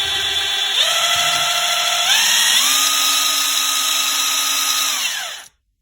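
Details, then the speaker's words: Craftsman CMCF940 heavy impact wrench (built 2023) after gearbox repair—regreased, speed switch cleaned: free run at top speed, clean high whine, no gearbox noise; anvil still wobbles slightly, reached 85°C. "这是最高速度，现在转动已经没有异响了。"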